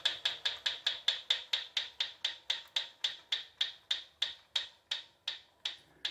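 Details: Proform Power C7L iFit exercise bike: sharp rhythmic ticking around the flywheel, about three a second and spacing out as pedalling slows. It has always ticked but is getting louder, with worsening wheel wobble; bolts are tight and there is no visible rubbing.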